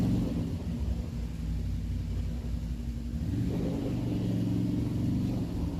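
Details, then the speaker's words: Rebuilt 2007 Can-Am Outlander 500 single-cylinder riding after slit fuel line replaced: steady, even rumble rising smoothly with throttle, no misses or knocks; slight exhaust smoke, clutch a little clanky, maybe needs belt; normal running. "all right well she's working working really well i mean a little bit of smoke here off the exhaust that's fine the clutch is a little bit clanky maybe a new belt as well but otherwise this thing is running really good"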